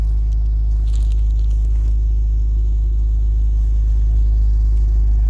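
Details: 2004 MG ZT-T+ 180 V6 idling after a misfire was repaired by replacing unplugged coils: deep, even burble with a steady beat and no stumble or miss; no engine management light.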